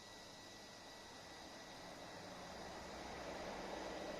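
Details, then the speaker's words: VW/Skoda/Seat/Audi gen2 1.6/2.0 TDI after replacing all four injectors and the fuel filter: a faint electric hum and whir building over a few seconds. The in-tank diesel lift pump is priming the low-pressure side to bleed the injectors. "That's the in-tank diesel pump pumping up the low pressure one, so that'll bleed out the injectors, so they won't have to run dry. They won't have to prime themselves."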